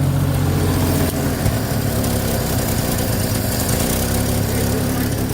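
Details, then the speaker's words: 1950 Chevy coupe, cold engine, choke pushed all the way in too early: low, uneven idle that sags and wavers; stumbling because it needs to warm up more, idle could be raised. "She didn't like that. Cool. So it needs to warm up a little bit more."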